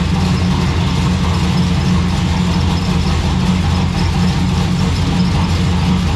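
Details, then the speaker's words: Turbo V6 Ecotec drift car with a T76 turbo: loud rough idle with a constant metallic buzzing rattle from a loose exhaust part, either the Y-pipe or the rear exhaust; the rattle stopped when the electric cutout was switched. "it sounds very rattly because there's um the exhaust somewhere is there's like a roost part somewhere so it's just rattling its head off"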